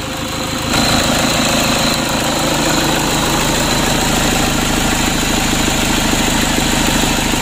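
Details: Rebuilt Toyota Innova 2KD diesel running after reassembly, with remaining faults not yet scanned. Even diesel clatter at a steady idle with no misses or stray knocks. Normal diesel idle.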